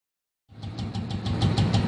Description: Its sounds create by Decompresser Gear in this bike this is not a big issue